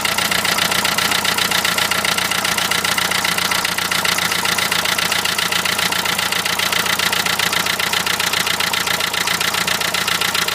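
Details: Renault Trafic van, 2.0 dCi M9R diesel at idle: sharp, very even rattling tick, about two and a half per second; knock of unknown cause, possibly an injector.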